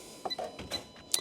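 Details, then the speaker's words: Nissan Qashqai with an air-conditioning fault, in a quiet workshop: the AC compressor is commanded on through a scan-tool actuation test at the under-bonnet fuse box, and a crisp click is heard as the relay pulls in; the compressor relay switches normally. "So, we without even the probe in there, you can hear it clicked the relay on."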